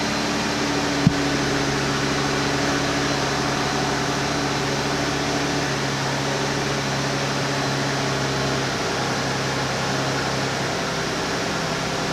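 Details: 2008 Chrysler 300 2.7L, first cold start after misfire repair (fuel lines evacuated, pump primed): engine catches and settles into a steady, even high idle, smooth hum with no stumble while relearning idle; normal idle.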